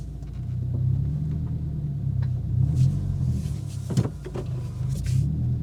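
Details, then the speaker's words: 2022 Subaru WRX at full steering lock, slow turn: low engine rumble broken by a sharp single clunk from front suspension; sway bar end link clunk. "then right after that you'll hear the clicking with the OEM and links so you guys have the three scenarios that I'm facing you hear all the different sounds"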